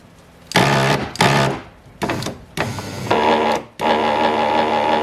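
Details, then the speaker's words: 2005 Mazda 3 driver's power window motor gives a loud, buzzing whir in short bursts, and the window struggles to go up; the motor has an internal fault and needs replacing. "it's coming from the motor motor noise"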